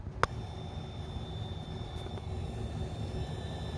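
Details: Corsair 750HX power supply over 10 years old, in a wall-mount PC with an RTX 3070: thin steady high-pitched whine only while the GPU runs under folding load, gone at pause; owner suspects dying PSU or coil whine.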